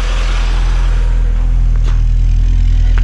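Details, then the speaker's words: 1986 VW Golf 2 with 1.8 GX 90 hp engine, cold start at about -13 to -14 °C after rough-running problem was fixed: slow to start cold, then low, even idle thrum with no stumbles, misses or popping; normal idle. "конечно в холодную немножко он медленно стартует вы видели но немножко газу dash и через одну-две минутки он работает"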